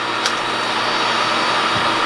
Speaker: Okay, the air compressor is turning on. Air compressor is running. I can hear it. But I can hear myself think.